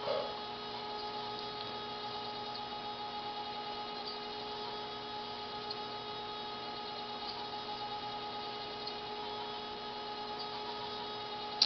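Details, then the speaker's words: Dokorder 8010A reel-to-reel duplicator near end of duplicating a tape: thin steady high squeal over faint hiss as tape runs through the guides; normal running sound. "that sound is the squeak of the of the tape actually going through all the guys it has to do it's normal sound"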